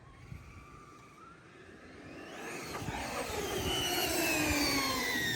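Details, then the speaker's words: A Traxxas X-Maxx eBay belt drive after belt tightening gives a whine that climbs smoothly with motor speed, with no clicking or chatter. This is normal belt noise, with perhaps slightly too much tension, preferred over too little. "like to me that sounds all right like maybe a little bit too much tension but I'd rather have too much than too little tension"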